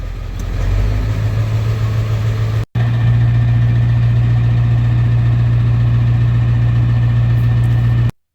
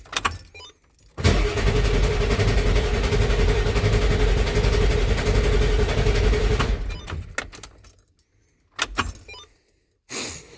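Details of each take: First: 1994.5 Ford F-350 7.3 Powerstroke after installing 160/00 injectors and a new intake, warming up at idle at about 35°F after the first snow: steady low diesel idle with even clatter, no misses or knocks; sounds healthy. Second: 1994.5 Ford F-350 7.3 Powerstroke after installing 160/00 injectors and a new intake, cold Alaska winter: starter grinds at a steady three to four beats a second for about five seconds without catching; air in the head oil and fuel, oil rails not pre-filled.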